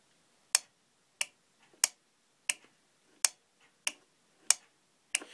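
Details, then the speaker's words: Kohler CH18 engine's 12 V electronic fuel shutoff valve, fed from a jumper box and switched on and off: crisp sharp clicks, about eight in five seconds, nothing underneath; valve opening and closing normally, failure would cause no-start. "you can listen and you can hear it opening and closing if you do not hear it open and closing that means you have a bad valve and that's most likely a reason of why it's not starting"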